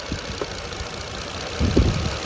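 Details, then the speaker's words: Petrol engine idles roughly with uneven low thumps and a heavier shudder as an ignition coil is disconnected twice to induce a misfire during an RPM-drop test, yet no misfire code is set on the cheap scan tool. "मैंने दो बार ignition coil को disconnect किया miss fire हुआ engine कांपा और मैंने उसे लगा दिया"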